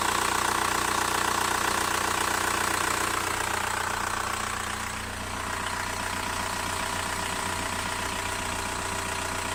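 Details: VW Bora 1.9 TDI diesel at idle: fast, even light ticking about three per second over the clatter; cause not clear.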